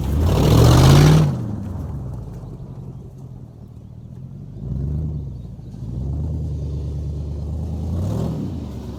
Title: Don’t pay attention to the bad exhaust leak it’s fixed now